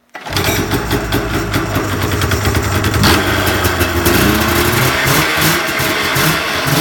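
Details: Snowmobile engine after a drive-belt change: catches at once, then runs and revs smoothly with a steady buzzy note. The belt is on the right way with correct slack, and there is no slapping or squeal; normal running.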